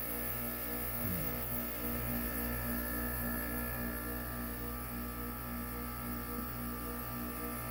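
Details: Man-cave air conditioner, plugged in and switched off after the compressor kicked off: constant low electrical buzz holding steady, seemingly from one side; stops when unplugged; source unidentified.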